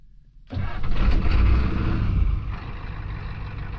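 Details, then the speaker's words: Ford 7.3 IDI diesel after governor length adjustment, glow plugs used, high idle disabled: short crank, catches at once, quick flare then even steady idle about 760 rpm (was about 830); clean normal start. "fires right off no burbling no nothing why because it's past the point of where it needs it"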